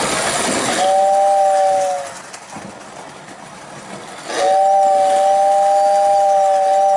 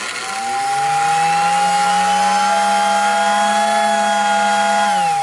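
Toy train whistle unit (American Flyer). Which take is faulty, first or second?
second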